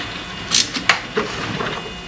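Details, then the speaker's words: Tesla Model S LDU (original large drive unit) after rotor cooling seal-delete manifold install without dropping the subframe: on reconnecting the HV interlock and battery negative, sharp relay clicks then faint coolant pump hum and coolant sloshing; normal power-up. "And the car is coming back to life. You can hear it clicking and buzzing and stuff."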